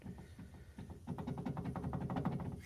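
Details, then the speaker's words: DeLorean rear wheel bearing, caliper removed, hub rocked by hand: quick series of loose metallic clunks, bearing moving around badly where there should be zero play; worn wheel bearing with excessive play, to be replaced. "you can hear it moving around like crazy"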